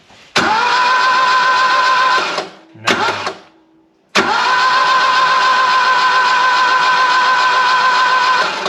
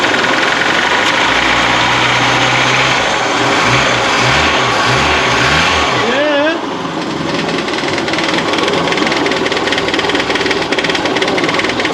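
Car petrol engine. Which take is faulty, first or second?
first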